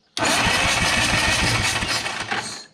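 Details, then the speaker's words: 1954 Caterpillar No.6 Shovel found in a barn, cranking before first start attempt: even, rhythmic cranking with steady compression beats and a slight starter growl; engine turns over healthily. "starter, it's growling a little bit, but the motor, it sounds good."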